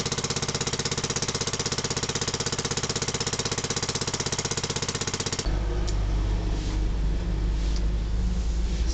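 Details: Villiers Mk10 single-cylinder in a Barford Atom after new piston rings, cold first test run: crisp evenly spaced beat holding steady about five seconds, no misses or knocks; runs healthy, some smoke.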